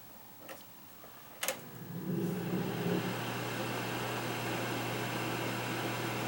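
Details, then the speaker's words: Kaz V3100 evaporative humidifier fan on high: after a click the squirrel-cage blower spins up to a smooth, steady hum with an even airy rush, no rubbing; normal fan operation, though it growls on low from a broken fan mounting post. "that's a sound of uh sounds like a squirrel cage motor running running nicely"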